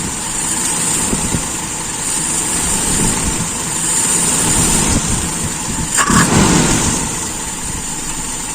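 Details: Carburetor with a very small idle jet, idle mixture screw set: steady, even idle with no hunting or stumble, soft exhaust beat, no drop when the throttle is released; mixture set right, runs smooth.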